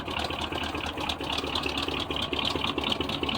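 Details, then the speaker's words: 1976 GMC Sprint after years in a barn: runs on its own on poured-in fuel, steady slightly uneven idle pulse, no knocking, blowing stuff out the tailpipes; normal running. "it's running running on what i poured in there blowing stuff out the tailpipes"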